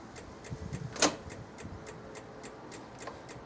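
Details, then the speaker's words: Old Honda DIO 50cc scooter giving only light regular ticking, about three a second, with no cranking when the starter is pressed. The starter solenoid clicks because the battery is dead or weak; the kickstart still works. "Nothing. It is clicking sound. Nothing's working. The kickstart works."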